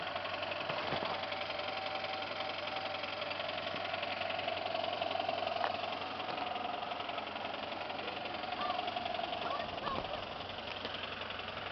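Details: 1995 Ford Taurus SHO at idle, semi-blown engine with suspected spun bearings: fairly steady knock about three to four a second over a thin whine; suspected rod knock, not confirmed.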